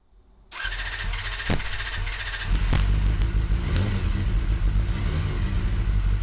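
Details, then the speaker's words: Fuel-injected Honda CBR250RR with MAP sensor, base fuel table unchanged, just started: low uneven wandering idle with pops and stumbles while global fuel multiplier adjusted; MAP multiplier removes fuel, so engine runs way too lean. "so when the map multiplier is taking fuel out the engine is running way too lean"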